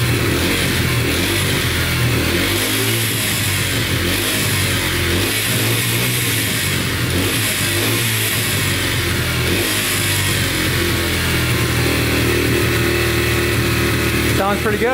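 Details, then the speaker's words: Yamaha TTR125 dirt bike (believed 2003) after top and bottom end rebuild, following a knock from running out of oil; crisp revs rise and fall smoothly, no ticking or knocking; runs and sounds really good. "all right runs and sounds good no ticking sounds really good"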